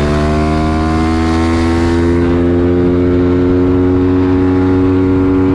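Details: Home-prepped 140 YX pit bike engine with rebuilt cylinder head and long transmission, on a road test: strong, clean exhaust note holding high revs and easing off, no misfire, knock or rattle. Runs fine.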